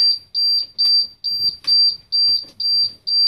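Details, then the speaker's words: International 4900 truck with DT466 diesel, key on at start after replacing a bad air pressure sensor: sharp high beeps at about two a second with the warning light; low brake air pressure warning, which the failed sensor had kept sounding. "so now I'm just going to get in the truck and start it up and see if we got any Le I can get up in here boy all right so there's the annoying light and beeping sound that I got to listen to uh for two hours on the way home that evening um because that sensor went bad"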